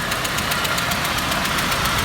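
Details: ZMZ 406 engine after timing kit and hydraulic lifter replacement, knock that appears then disappears: sharp, even ticking about eight per second over the idle, a light metallic knock, source unknown.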